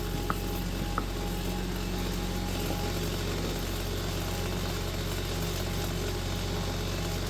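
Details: Vintage Kenmore electric fan with a newly wired rotary switch, running at full speed and being oiled while running. Steady, even hum after a couple of small clicks, fast and not exactly quiet; bearings run smoothly, normal running.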